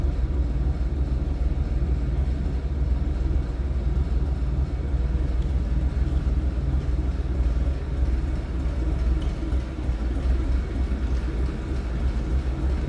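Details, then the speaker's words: 1965 Ford F100 project truck, inline six, idling, recorded at the rear near the tailpipe: deep, steady low burble, even and unbroken with no misses or knocks; idling smoothly and healthy. "Slip around to the back here, you kind of get an idea how it sounds and runs."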